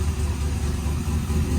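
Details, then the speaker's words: Rebuilt LS V8 after blow-up, new tune, cold, AFR about 11:1 rich, oil pressure 50 psi cold, 14.2 V: steady even low rumble, no knocks or misses; normal cold idle. "sounds really good [Music] AFR isn't perfect uh see we got oil pressures at 50 psi and that's cold we got our voltage at 14-2"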